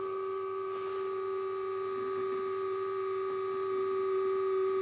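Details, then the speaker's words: H4 LED headlight bulb turbo cooling fan, passenger side, in car: high thin whine with steady hum on cold startup, started after about a week of use, goes away once warm; fan sounds loose or rough, vibration felt on glass; cause not confirmed. "Those turbo fans after about a week have started making a funny noise and then u they warm. They they come good."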